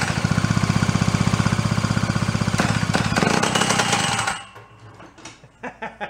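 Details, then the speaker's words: 49cc two-stroke fold-up suitcase scooter, sat 40+ years, after finding choke closed: fast uneven popping for about four seconds, then stumbles and dies; rough running, something not staying tight, cause unconfirmed. "All right, so we got her to run, cough, and fart and do that k"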